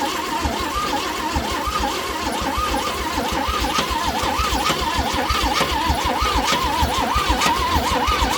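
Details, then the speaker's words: Chevrolet C10 engine with reinstalled starter, spark and fuel confirmed; starter whirs with rhythmic compression chugs about one a second and never catches: cranks but won't start, timing tampered with suspected. "It just sounds like it's not getting spark, but it is. It's definitely got fuel, so the only other thing is if somebody's messed with the timing on it."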